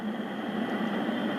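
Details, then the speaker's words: Juliette NA-1114 AM/FM AC/DC portable radio, volume control newly replaced: after a few hours' play a constant hiss-like rush with a faint steady tone replaces clean audio; owner thinks it is a new fault, not the volume control. "you're going to hear a new problem yep that's what we have now"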